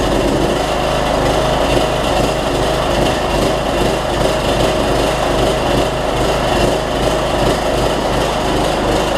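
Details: Troy-Bilt Bronco 42-inch, 18.5 hp riding mower after a broken transaxle spring was replaced and it drives again: engine chugs unevenly at steady throttle with a loping beat; runs rough, owner considers cleaning the carburetor or drilling out the low-side jet.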